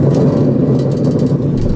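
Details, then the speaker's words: 2007–2011 Honda Civic two-door (2011) rear hub spun by hand on lift with brake caliper and bracket removed; coarse gravelly continuous rumble, bad rear wheel bearing. "spin this easier and it's making a hell of a noise right firing is SuperDuper bad"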